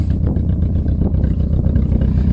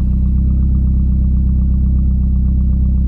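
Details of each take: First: Four-cylinder car left standing on a yard: low, lumpy engine note with uneven pulses and stumbles, not all cylinders pulling together; misfire, owner says spark plugs are worn out while compression is fine. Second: Car with almost 300,000 km, idling without exhaust: loud, open, deep bark with perfectly even pulses and no misses; engine running cleanly and fairly quiet.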